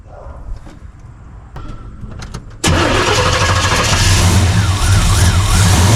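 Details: Blueprint Engines 350 Vortec small-block V8 first start after replacing intake manifold gaskets to cure a long-running vacuum leak: cranks briefly, catches cleanly and holds a steady, even idle with no hiss or stumble; runs well now.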